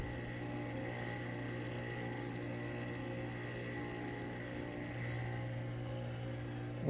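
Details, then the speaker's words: Coralife BioCube 32 aquarium hood fan, old and worn, before replacement: constant low hum with faint steady whine, loud enough to hear on the floor upstairs; noisy fan. "that is the sound coming from my bio cube 32 fan it has gotten so bad that you can hear that sound on the next floor upstairs at times"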